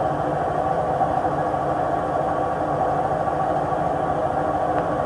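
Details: Samsung WW80J5555FWEU 1400rpm washing machine, 6 years old, during spin: loud, steady, gritty rumble with droning hum; owner suspects worn drum bearings, not confirmed; rumble during spin.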